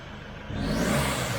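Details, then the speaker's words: SsangYong Rexton Sports Khan turbo pickup: loud rushing hiss and whistle of escaping air, present even at idle, with power loss after a bang while driving; boost leak from a detached intake hose, not the turbo. "지금 아이들링 상태에서도 약간 바람 빠지는 소리, 휘파람 소리 뭐 비슷하게 나고 있어요."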